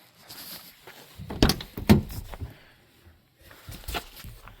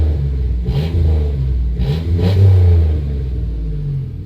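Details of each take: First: 1991 Dodge Grand Caravan SE, revived after sitting since 2003, just after installing new muffler exhaust kit: a few clicks and steady fuel pump hum, then engine catches and settles into quiet, even, healthy idle. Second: 1991 Dodge Grand Caravan SE, revived after sitting since 2003, old clamped muffler cut out: deep, loud blatting roar swelling with each rev and dropping to heavy rumble; straight-through exhaust with no muffler.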